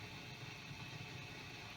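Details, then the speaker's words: 1960s/70s MIRANO vintage Japanese tube tape echo with the tape motor off: faint steady low mains hum with a crackle behind it, from aged capacitors. The unit needs a recap. "So let's turn the motor on. However, I'm going to pause for a second and just listen to the crackling hum that is existing."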